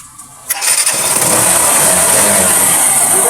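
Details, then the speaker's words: Badia 125 motorcycle that wouldn't start despite having power, after the spark plug was checked and refitted: quiet, then a quick crank, and the single catches and settles into a steady, even idle; normal start and idle. "Ayan mga kaibigan oh. Umandar na. So walang problema walang abirya na trouble shoot."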